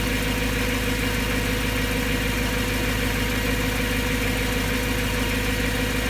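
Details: BMW M3 S65 V8 at idle after bearing replacement: a quick, fairly even tick about twice a second over the exhaust note. Owner says it still sounds abnormal; cause unknown.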